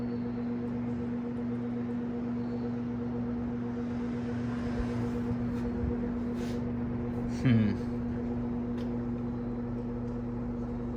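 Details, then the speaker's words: Vintage Sears box fan, free find, on low: steady low motor hum with a faint whirr, turning very slowly on medium and low; owner suspects burnt windings, a failing motor or a bad switch. "Interesting. It spins very slow on medium and low. I wonder if the windings aren't burnt up in it."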